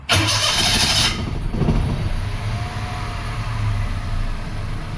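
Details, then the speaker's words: 2005 Toyota Passo on its original ECU, started after the coil ground fault causing intermittent no-start was fixed; brief crank, catches at once, settles into smooth even idle with no misses or knocks; coil current slightly up; normal start and idle. "Okay, running well. Engine is smooth."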